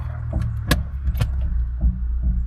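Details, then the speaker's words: Fiat 500 automatic in drive while accelerating: low drone broken by sharp clunks about twice a second, also heard in second gear and neutral, not first or reverse. "You can hear a banging sound. Blood de on the [Music] car when I'm accelerating."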